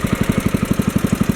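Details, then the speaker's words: 1964 Wheel Horse 704 with a Kohler single-cylinder engine, running after a rod knock repair on a worn crankshaft. Light, even ticking about seven per second with no rod knock underneath: normal lifter tap, plus the belt flapping against its guard. "okay that sounds good there don't hear any rod noise now i can hear the lifters tapping"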